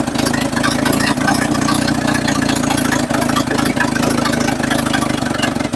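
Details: 1963/64 Chevrolet C10 stepside, bought sight unseen and revived, idling on its own; loud, even, rapid popping idle that holds steady, noisy only because the exhaust is full of holes.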